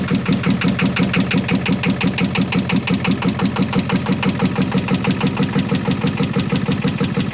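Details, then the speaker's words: 1986 Ford F350 6.9L diesel, tow-started with a strap around the crank pulled by a pickup: heavy rhythmic pounding about three times a second over a rough, fast idle with lots of smoke. Owner suspects crankcase pressure. "well it was running I'm going to say that's not a good way to run but it did run lots of smoke lots of noises I'm going to say that did not sound like good running"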